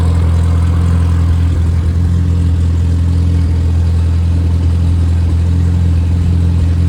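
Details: Rebuilt Triumph Spitfire 1500: shaved head, larger intake valves, 270 cam, flat-top pistons, double valve springs, duplex timing chain, new bottom end and bearings, compression over 180 psi, oil pressure improved; steady even four-cylinder drone, no knocks, ticks or misses — normal running.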